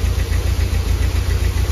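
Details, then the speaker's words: 1991 Nissan 240SX running for five minutes after an engine flush and fuel treatment, before new plugs, wires, cap and rotor: a lumpy, uneven idle with stumbles from a misfire, and the engine shakes on its mounts. "go ahead awesome awesome we're gonna let it run for five minutes did you hear that that's misfiring"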